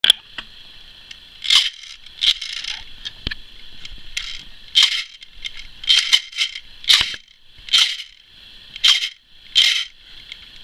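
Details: Hobby-built gearbox with shimmed gears; harsh high-pitched screeches in short bursts about once a second, owner suspects the bevel gear axle moving inside its bushing.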